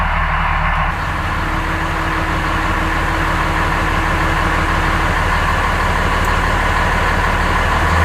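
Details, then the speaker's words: Dodge Ram 2500 with freshly rebuilt 5.9 Cummins diesel on first run, air still in the fuel lines and no coolant: deep, steady diesel clatter at an even idle with no knocks, misses or hunting; normal diesel idle. "so the truck seems to run pretty decent i'd like to let it run a little bit longer to let all the air get out of the fuel lines"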